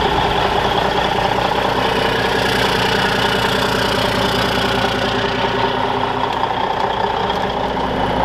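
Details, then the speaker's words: Truck (Kenny) diesel warmed up on fast idle; steady even clatter at raised idle, constant pitch, no misses or knocks; normal fast idle. "this is kind of awesome guys i got kenny out here on fast idle he's all warmed up"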